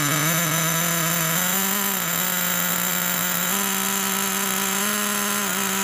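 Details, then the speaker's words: Traxxas T-Max nitro monster truck started after 10 to 15 years of storage, a little cold; high buzzy two-stroke scream holding steady with small pitch steps on throttle, normal running. "fuel must still be good little bit cold nature of these engines"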